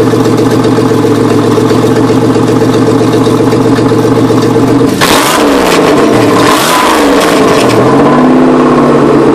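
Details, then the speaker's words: 1993 Chevrolet Beretta GTZ 3.1L V6, 178,933 miles, replacement engine said to have about 110k: steady idle then sharp rev with harsh metallic rattle; owner attributes rattle to makeshift exhaust work. "it's got a lot of rattle to it it's because i did a uh a pretty redneck job on the uh exhaust"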